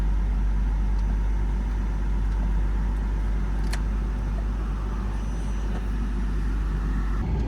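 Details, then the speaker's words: 1996 Jaguar XJS six-cylinder (AJ16) after cleaning the idle air valve and replacing its seal: a low, steady idle at about 800 rpm instead of the usual 1100, with no hunting or surging; it later settles at about 700 in neutral. "wow definitely runs different it's already a lower idle we are at about 800 RPM where normally we would be at about 1100 right now"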